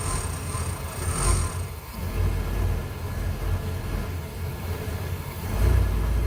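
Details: 1993 Ford E250 5.8L V8 after 20-40 minutes running: deep idle surging and sagging every couple of seconds, uneven firing, until stalling; IAC valve replaced and EGR blocked without change, fuel filter replaced; cause not found.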